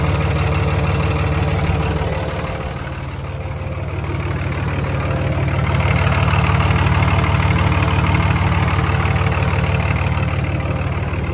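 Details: 5.9 Cummins diesel idling after oil change, fuel filter change and front suspension grease, checking for leaks; even diesel clatter about three beats a second, no misses or knocks, normal idle.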